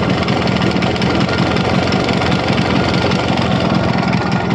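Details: Yamaha RX100 two-stroke motorcycle, first start after sitting over 10 years in very poor condition: busy, uneven chatter with ragged, wavering beat at idle, running rough and unsettled. Wiring issues noted; cause not confirmed.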